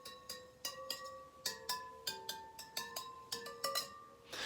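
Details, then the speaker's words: Yamaha TTR125 rear wheel spokes being tapped one by one with a small wrench to check tension. Each gives a clear, bright ring that hangs briefly, showing a properly tensioned spoke; a loose spoke elsewhere on the wheel sounds dead. "Doesn't sound bad. That one sounds dead."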